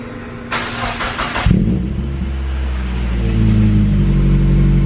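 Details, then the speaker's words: Mazda Miata (manual transmission, aftermarket radiator, coilovers) with fresh oil, new exhaust and intake, on its first cold start: about a second of starter whirr, then it fires cleanly into a raised, steady cold idle with a deep exhaust. Normal. "Let's go ahead and get the first startup sound clip. We'll see what it sounds like on cold start. This is what you're going to hear when it sits in your garage overnight."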